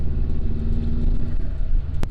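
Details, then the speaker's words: Bugeye Subaru WRX test drive after a coil pack replacement for a misfire: a deep, even rumble under way with no dropouts, so no misfire. The owner believes it runs slightly lean and is untuned, and is driving to warm it up. "all right well no misfire for s"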